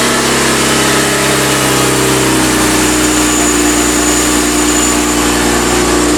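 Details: BMW E36 M3 Evo S50B32 on a test stand after the windage tray was tweaked, warm with thermostat open, 40 lb oil pressure: steady, smooth idle with faint valve clearance ticking; much quieter than before.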